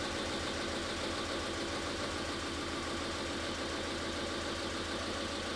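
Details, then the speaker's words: Cylinder 3 misfire check: the coil, tested grounded, gives good spark. Idle shakes with a loose, irregular pulse near three a second and runs about the same with that coil disconnected, confirming cylinder 3 itself is the problem. "Lo pudimos ver muy claramente y aparte de eso, pues nos dimos cuenta que el vehículo arranca muy similar a si estuviera la bobina conectada, lo cual me sigue confirmando que el cilindro donde está el problema es este ci"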